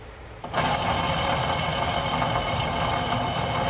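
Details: 2007 Buick Lucerne CXL V6, 150K miles, front-wheel drive: rear passenger-side hub spun by hand with the brake off gives a dry, gritty rumble with faint ticking, a worn rear hub bearing; the other side is quiet.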